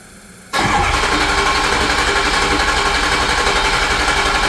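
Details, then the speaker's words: 2006 Ford F-350 6.0 Powerstroke diesel after high-pressure oil O-ring repair, second start with vent tube now routed: brief pause, then instant catch into a steady, even idle; clean, healthy start. "I did forget something. Second start up. Now I got that vent tube routed. Should start a lot easier."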